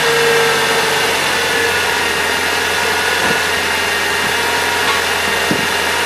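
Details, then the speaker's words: 1997 Saturn after belt tensioner replacement: even, steady idle with a smooth low hum and no chirp or rattle from the belt; original noise gone, engine healthy. "Well, seems to be good from here. I like it."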